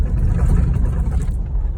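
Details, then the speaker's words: Dashboard after sealing its cracks with black silicone, before fitting a DashSkin, on a test drive over very rough roads: only low, even road rumble, no dash clicking or rattling (it normally goes click, click). Panel now quiet. "Here, at least it's not even making any noise yet. And when I tell y'all, these roads are terrible."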